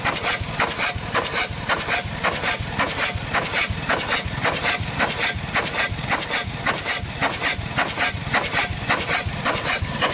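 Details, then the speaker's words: 100+ year old Chicago Pneumatic steam engine/air compressor, first run in decades, cylinder head off: steady chuffing near 109 per minute with heavy hiss each stroke, unbalanced; suspected steam leaking past worn packings and seals. "she definitely needs seals everywhere not a very balanced unit"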